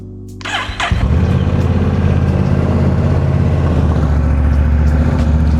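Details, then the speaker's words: Honda Rebel 1100 DCT (CMX1100) started on a stand after oil change with 4.2 liters of oil, cold: brief crank, catches and settles into a loud, steady, deep idle, no knocks or misses; healthy. "And we're gonna start it up. This one's a little loud, so."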